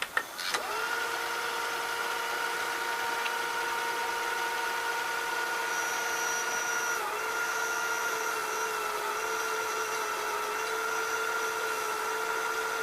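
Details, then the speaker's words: Funai FHC-1200 4-head hi-fi stereo VCR with newly fitted belts, in fast forward: a steady high-pitched whine of stacked tones holds level and dips once. The drive motor squeals; the owner has no oil to lubricate it. "I need to somehow shut that motor up. I don't have the oil for it."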